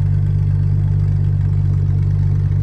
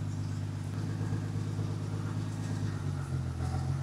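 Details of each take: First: Reason number three, this thing always has a consistent idle. One thing I noticed immediately once we got this thing dialed in was how smooth it actually does idle. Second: 1977 Ford F100, Ford 300 inline-six with FiTech EFI, idle AFR deliberately leaned to 15:1 from the preferred 13.6: low, uneven idle with a slight stumble and hunting beat; rough idle from lean mixture.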